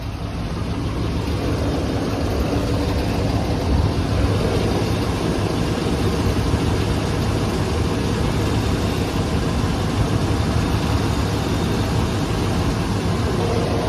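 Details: 7.4 Vortec V8 at warm idle after a few minutes running: deep steady rumble with a faint regular knock; owner unsure whether piston slap or bearing knock.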